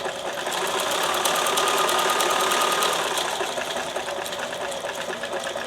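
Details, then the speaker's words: Sewing machine test stitching on scrap fabric with same settings: quick, even clatter at about four stitches a second, no snags; stitches hold, so the hook works and the fault is a thread, needle and fabric combination. "And then if it's holding, you know that it's not the machine, because the hook is picking up the fabric or picking up the thread and is stitching properly."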